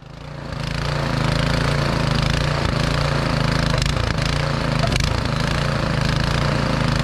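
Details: Snow blower's first pull-start after summer storage with no electric starter, blue smoke from fogging oil burning off. The small single-cylinder engine catches and settles into a steady, even putter with no misses or knocks: normal running.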